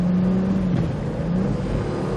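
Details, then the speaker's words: Car after computer reset/reboot, throttle commands functioning properly (throttle body in question): engine pulls cleanly with a smooth, evenly rising drone, no stumble or sputter; normal acceleration and throttle response. "See that good acceleration? And yeah, good acceleration."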